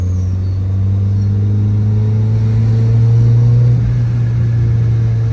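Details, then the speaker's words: Mazda Miata after repairs, cruising in 4th gear and rolling into throttle: smooth, even low drone swelling slightly, no whine or knock; AFR good, running clean. "Can't get much sweeter on the AFR. She's running perfect again. 4th gear cruising, roll into it a little"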